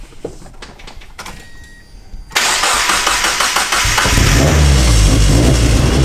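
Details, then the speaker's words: Turbocharged Mazda Miata NB with new full exhaust, cold start: a couple of seconds of faint clicking and cranking, then it catches abruptly, flares loudly and runs rough; a reluctant hard cold start. "but I got to fix a cold start on this thing cuz it starts like dog"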